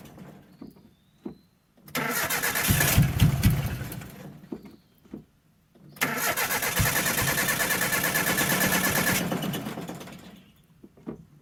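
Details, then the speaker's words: Abandoned 1984 Nissan/Datsun 720, Z24 four-cylinder with 8 plugs, first start after about 20 years sitting: engine catches in two rough bursts with a shrill squeal over the revs, an accessory belt slipping. "I don't know which belt is slipping. Definitely a belt slipping though."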